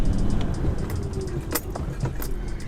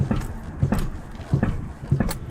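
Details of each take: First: 1989-1994 Lexus LS400 driving under braking after front strut rod bushing replacement: low road and cabin rumble with light brake-pedal plunger clicks, but no front-end clunk. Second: 1989-1994 Lexus LS400 while moving and jabbing the brake: four dull low metal-on-metal thuds, one per brake jab, silent when pumping brakes at a stop; front-end clunk from worn front strut rod bushings.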